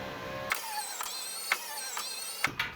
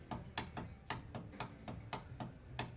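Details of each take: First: 2012 Subaru Forester passenger front power window, tested after regulator replacement (no blown fuse): a clean, steady motor whir with soft clicks at start and stop, no grinding. The window runs up and down and tracks properly. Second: 2009-2013 Subaru Forester front passenger power window: motor fed with a power probe gives sharp dry clicks, about three a second, over a low hum, but glass doesn't move; faulty motor or window regulator.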